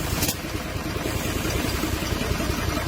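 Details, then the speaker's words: Mitsubishi Fighter, 6M60 diesel, valve cover off, at idle: uneven, stumbling beat with irregular thumps. A misfire with low-power complaint, cause not yet diagnosed. "Hindi masyadong klaro sa camera yung galaw ng engine, pero may galaw to at palyado."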